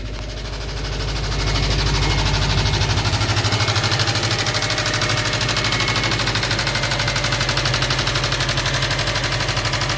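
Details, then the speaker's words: 2005 Subaru STI boxer engine idling after a compression test, driver-side cylinders 2 and 4 tested, connectors reconnected: loud rapid hard steady knock over exhaust; rod knock suspected; engine knock at idle. "I hooked up the connectors that are in the passenger side and there's a rod knock right there everything's good but not good"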